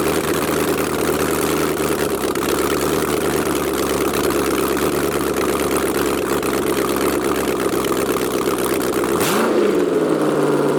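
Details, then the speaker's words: LS V8-swapped Jaguar XJ-S, no headers, open exhaust, after first start: very loud raw but even idle with no missing, quick throttle blip rises and settles cleanly; healthy. "boy oh boy it's gonna sound so nice whenever it has a glass on it it sounds nice right now yeah but a little painful though"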